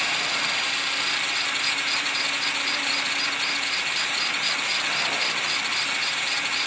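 High, buzzing rotor whine with a rhythmic pulsing flutter in the loudness while hovering, pointing to an out-of-balance vibration whose source is unknown.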